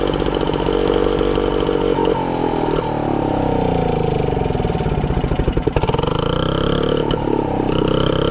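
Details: Frazer tiller with freshly installed and timed magneto ignition, first run in 30+ years on 32:1 two-stroke premix with 93 octane, Zenith carburetor: loud crisp two-stroke buzz rising and falling smoothly with throttle, no knocking or misses; running healthy.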